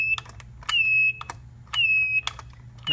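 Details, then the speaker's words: Dorm telephone handset made in China: a sharp, roughly one-second squeal with clacks each time the receiver is lifted, especially quickly. Unclear whether the handset itself or the hook switch is at fault; squeal on pickup. "when you pick up the receiver too quickly you hear a kind of squealing and it's actually kind of hard to describe"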